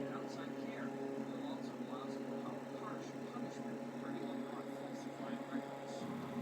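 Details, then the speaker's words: 7-inch single-speed (high only) fan with four metal blades, running: a steady low hum at constant pitch under the airflow; motor hum, cause unknown. "This fan has a hum to it. If you listen carefully, you can hear the hum."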